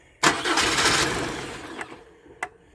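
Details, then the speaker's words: Wife's project truck, first start after engine swap with fuel pump cycled: cranking grinds about a second and a half, engine catches, then a few sharp throttle blips; engine now starts and runs. "She [ __ ] runs, guys. Heck yeah."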